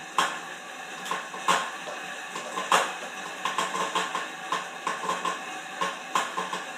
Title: Horizon M 4 making a lot of weird noises